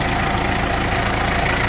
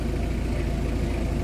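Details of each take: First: Mitsubishi L300 diesel at idle, before repair: coarse metallic rattle from the clutch release bearing that gets louder when the clutch pedal is released and disappears when it is pressed; pedal is rough and engagement delayed, and the owner suspects the transmission must come down. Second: Mitsubishi L300 diesel idling after the clutch was adjusted and the dry release bearing and main drive were greased: steady, smooth low rumble, and the earlier clutch/transmission rattle is gone.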